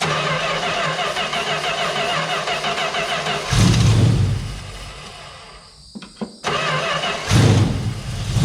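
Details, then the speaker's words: 1971 Plymouth Valiant Scamp after 16 years parked, running on poured fuel as nothing flows from the fuel line (out of fuel or pump not pulling): deep burble that sags as if starving then recovers; no heavy smoke, otherwise sounds good. "yep still no bunch of smoke or nothing like that seems to sound pretty good"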